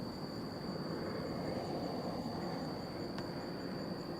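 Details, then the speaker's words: SpaceX SPMT self-propelled modular transporter moving a heavy load outdoors: a thin, steady high whine over a low rumble. Normal hydraulic drive motor noise. "They make a little worring noise. That's the hydraulic motors going."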